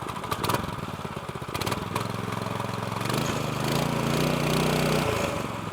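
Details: Newly installed small single-cylinder pull-start go-kart engine with new CVT, fuel toggle just switched on, starts and settles into a steady, even putter around idle; nothing irregular, healthy-sounding fresh engine.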